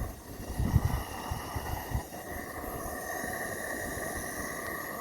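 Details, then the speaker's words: Live steam locomotive gas burner lit while the gas fill valve is leaking, though still holding enough gas: a steady soft roar with an even hiss and no sputtering or popping. The burner runs normally. "Anyway, it's holding enough to get some gas into it, obviously, as you can hear."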